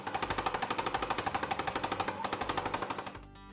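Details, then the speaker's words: Mazda whose owner changed his own spark plugs but forgot to install one: loud, even chuffing pulses about three a second over a rough idle as gas puffs out of the open plug hole; missing spark plug misfire. "The owner of this Mazda had changed his own spark plugs, but forgot to install one of them. And his car ended up sounding like this."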